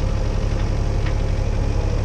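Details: CAT 304 CR excavator diesel after wiring fix for intermittent starter fault: low, even idle with steady rumble, no misses, knocks or hunting; healthy idle after repair.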